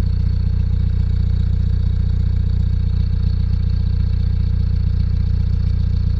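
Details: VW TDI 90hp diesel idling: even, sharp tick two to three times a second over the clatter, since a 600 km trip 5 months ago; new lifters, injectors changed, oil pressure OK, oils tried. Owner suspects wrist pin play; unconfirmed.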